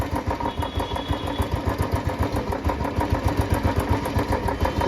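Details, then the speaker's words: Royal Enfield Bullet 350, warm idle after Abro oil treatment: steady thumping about four beats a second with only a faint light tick; noise much reduced compared with before. "पहले के मुकाबले आवाज में तो काफी फर्क पड़ा है"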